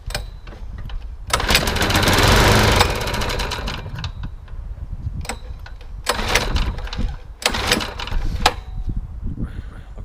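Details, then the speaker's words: Old Suffolk Punch/Qualcast mower after a year in a shed, fuel primed by syringe into the cylinder: fires and runs roughly about a second, then dies and coughs; spark confirmed, fuel tank/delivery suspected. "so we have a bit of life so we've definitely got a spark and it runs"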